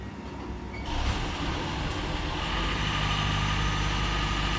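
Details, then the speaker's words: 2007 Toyota Prius after muffler replacement, heat shield secured with a washer: engine settles into a low, steady hum with no rasp or blatting from the back; exhaust now much quieter than before. "oh yeah that's way quieter noise in the front end but like back here freaking Dead Silence I can't believe how nasty that used to sound"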